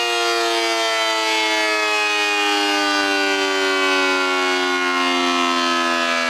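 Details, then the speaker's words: A 1960s second-generation Federal SD-10 air raid siren on three-phase 220 V, breaker-switched, winds down after one cycle in a pre-restoration motor test. The strong wail slides smoothly down in pitch with no rattle or rubbing; the motor and rotor run freely, a normal wind-down. "I'm going to run the siren up for one cycle and then let it wind down, and that will be the first test, just to make sure that the motor seems to be all right."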